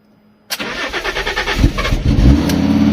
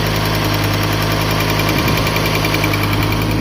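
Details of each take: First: Water-damaged Fiat Stilo Abarth after new NGK BKR6EZ spark plugs and coils refitted: brief crank then prompt start to fairly steady idle; engine fault still present, suspected throttle body, ticking sound noted. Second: Fiat Stilo Abarth, water-damaged and stored a very long time, warming up with little coolant: steady idle that drops as it warms, with a light, fast tick over the engine note; valve train ticking blamed on long storage.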